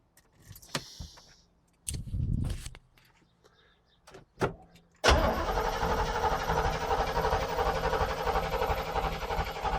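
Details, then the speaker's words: 1967 Corvette Stingray that sat 38 years, with fresh oil, cranked with the coil wire off to build oil pressure; the owner had said the starter was bad, but it gives a steady, even cranking rhythm without grinding. Normal cranking. "it seems like it's cranking over just fine it sounds better than most of the stuff I have"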